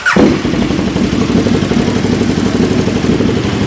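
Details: Warm KTM Super Duke 1290 R V-twin idling indoors while the fan cycle is checked, coolant near 96–98 °C and fans switching on at about 104 °C: steady, even idle with a light mechanical patter and no misses or knocks.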